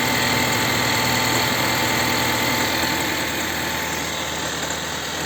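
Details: Chevrolet Volt 2 engine idling, air filter clean and spark plugs replaced: steady fast ticking knock about four per second over uneven, misfiring idle; knock and rough running, cause unknown.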